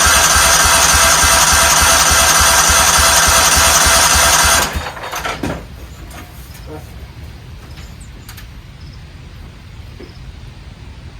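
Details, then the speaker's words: 1994 Cub Cadet HDS2135 riding mower, unused about 10 years, choke on: steady fast cranking at about 3.5 beats a second for nearly five seconds with no firing. Owner suspects the carburetor, which he never checked. "injected fuel and I never checked the carburetor so I bet you that is fighting us"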